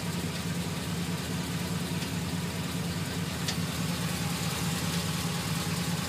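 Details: GMC Sierra 2500HD 6.0 V8 at idle: light tick about two per second over steady idle, starting a few minutes after start-up, worse after driving then stopping, absent while driving; source unknown.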